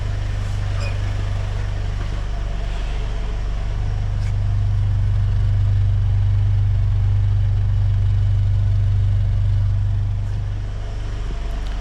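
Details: Ford Ranger 2.3 after a new exhaust system from the manifold back (cat, mid pipe, muffler, tailpipe): an even low idle of about three beats a second, quiet, with no exhaust ticking or puffing; healthy.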